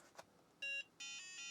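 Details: Book8088 laptop with intermittent loose-connection fault, powered on: short beep, pause, then longer steady tone from the small speaker as it works again; cause unclear.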